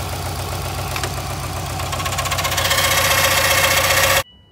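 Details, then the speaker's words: Subaru WRX STI idling: steady knock about four per second over idle, rising slightly before shutdown; thought to be rod knock but caused by a failed timing belt tensioner, noise stopping once tension applied. "yeah guys just that quick video me diagnosing that knocking noise definitely thought it was a rod knock"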